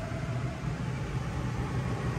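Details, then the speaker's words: Rivian R1T Launch Edition electric truck after a system restart: even low hum with steady airy rush, no clatter or squeal; AC compressor now heard running normally for the first time, air getting colder. "weird hey hey good news i hear the ac compressor running now hear that we have not heard that yet nice ac seats on all right let's just hope it stays working"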